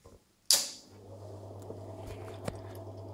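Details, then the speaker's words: Three-phase asynchronous motor fed about 50 V with one phase winding (V coil) connected reversed: after a switch-on thump, low coarse hum, motor runs slower and weaker, drawing noticeably higher current in two phases. "Motor má nižší otáčky, je měkčí. Já ho teď napájím asi 50 V, takže nejede na plný výkon, ale jde znát ten zvuk, že je jinačí a je takový hrubý a si určitě má nižší sílu, protože se točí daleko pomalejc."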